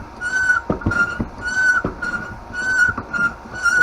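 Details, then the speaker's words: Foot pump used by hand to inflate a beach cruiser bicycle tire: high piercing squeal on every stroke, about one per second, with a clack between strokes; pump squealing badly. "pump sounds like something is dying"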